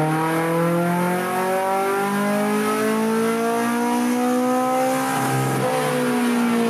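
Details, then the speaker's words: K24-swapped Mazda 121 with drive-by-wire Yamaha R1 ITBs on a tuning run at 75% throttle with volumetric efficiency raised 10: smooth climbing pull, then a harder intake honk as VTEC high cam engages; normal engagement. "this time you should hear the VTEC cam switch in and hear the honk"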